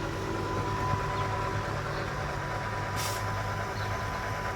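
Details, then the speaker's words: 2000 Mercedes-Benz S500 Airmatic air suspension after replacing a cheap part, suspension settling: quiet steady electric buzz and hum from compressor, no rattles or straining; normal operation, car now lowers slowly. "now I can hear a little bit of uh little bit of buzzing but that's that's normal and that's that's it"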